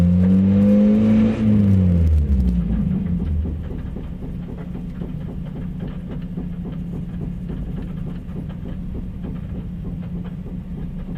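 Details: 1992 Mazda Miata idling with a steady knock, about four a second, tapping through the small petrol engine.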